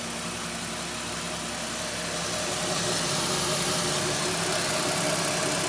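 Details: 2008 Chevy Equinox 3.4L V6 after harmonic balancer replacement (failed balancer slipping caused startup chirp and burning rubber smell): even, steady idle with smooth regular beat, no chirp or squeal at startup; normal idle.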